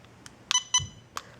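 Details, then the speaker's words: Cheerson CX-10C mini drone remote, quadcopter switched off: button held to set sensitivity/speed, two short high beeps confirm the setting, normal. "there's a sensitivity setting here so I I had to turn off the quadcopter so I could set the sensitivity so the way you do that is pushing this button down and having it beep"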